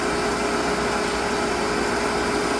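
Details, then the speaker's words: Water pump after cleaning and greasing a poorly connected fuse: steady, even hum with a constant tone, no surging or water-hammer thumping as during the past week; running smoothly. "Well, she's going. And actually, that sounds a little better."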